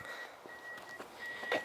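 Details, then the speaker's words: Car with reverse simulated by powering the blue-red wire with a test wire; backup parking sensor beeps steadily, high-pitched, with nobody behind; owner says it goes off for no reason, a false alarm. "And you are so gimmicky. I need to disconnect you, because you just go off for no reason. Nobody's there."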